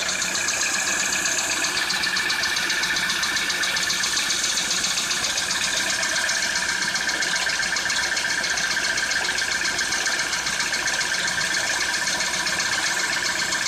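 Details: Citroën C4 2013 at idle: fast, fairly even light tapping, nearly four per second, over a hissy engine note; engine knock of unknown origin.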